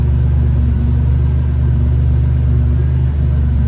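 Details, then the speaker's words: 1987 Buick Grand National turbo, 32K miles, revived after sitting 12-13 years: deep steady idle with an even low beat, no ticking or stumble, running smoothly; no smoke. "And it's burning like a kitten, y'all."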